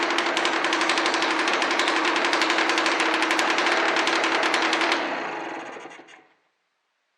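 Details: Honda NSR125 two-stroke that sat two years, first run after carburetor cleaning and fresh premix: rapid, sharp crackling beat with harsh spitting on every pulse, then it dies; sounds like a leaking exhaust gasket.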